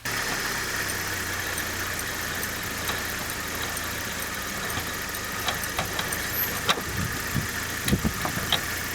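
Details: Opel Vectra A, wheel raised on jack, engine idling in first gear: even quiet wheel spin with no hum or grind from this side's hub bearing; the drone comes from the other side's bearing. Normal wheel bearing.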